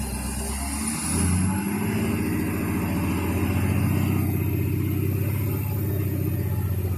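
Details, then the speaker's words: 6.7L Power Stroke diesel after new pushrod and used rocker assembly, revved: uneven irregular popping in exhaust, not sounding like all cylinders; worse when hot, normal cold; engine builders suspect a valve, possibly passenger-side head. "And ever since then, it's had this poppy sound. So, engine builders think I just um uh been a um been a valve potentially."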